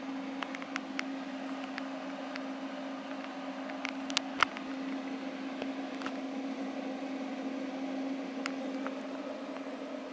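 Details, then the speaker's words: Northern Industrial Flux Core 125 flux-cored welder idling, not welding, after running about half an hour straight: constant mains buzz with soft fan hiss and a few stray ticks; still working, hasn't overheated, normal welder idle. "But everything seems fine on it, still working, hasn't overheated, nothing. So I think it ran for about maybe a good half an hour, I don't know, straight."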